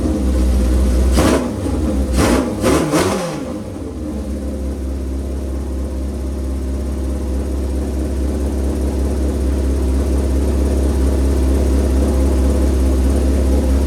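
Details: Shovelhead V-twin motorcycle started with choke on, fuel on after a squirt of gas: a few cranking bursts, then it catches and settles into a steady, lumpy V-twin idle with an even beat, running healthy.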